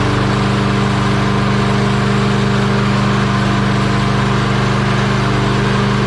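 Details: Lawn Boy mower with a Kohler engine that had cut out and died, running after its carburetor jet was cleaned of rust particles: steady, even putt at about three and a half beats a second with no stumbles or surging; running normally.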